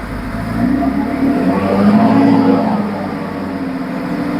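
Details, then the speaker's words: After the fan clutch was replaced with a new one, a strong, steady rush of fan air swells slightly as revs rise. It clearly pulls more air and suction than before, so the fan clutch is working normally. "It sounds like it is doing its job. I can hear it. Well, and that fan it's I could actually tell the difference of the air volume that was coming across cuz it felt I mean it just sounds like there's more wind."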